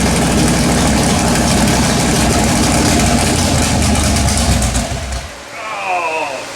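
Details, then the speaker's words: LS-swapped Chevrolet S10, first fire-up after carbon-fouled spark plugs cleaned, coil wiring uncertain. Engine catches and runs rough and uneven for about five seconds, then dies; rough running and stalling, cause unclear. "that doesn't sound right that's why it won't start plugged your carbon foul I'm gonna pull plugs out and clean them up"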